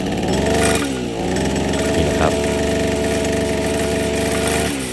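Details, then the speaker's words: Brush cutter after fixing gear-head vibration by reseating the misaligned blade under its cover and tightening the nut: steady high-revving two-stroke buzz with even pitch, no wobble or rattle, vibration gone and running normally. "สตาร์ทเครื่องยนต์เครื่องตัดหญ้าของเราก็จะหายสั่นแล้วนะครับ"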